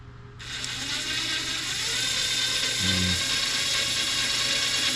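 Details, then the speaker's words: Cirrus SR22 G3 pitch servo test: fast buzzy gear whir with ratchety rattle once voltage breaks it loose, needing about 5.3–5.9 V versus roll trim's 6–7; starting voltage high, servo likely should be replaced. "See that's that's actually high as well. The roll trim was around 6 and 12 to 7. This one is right at the cusp."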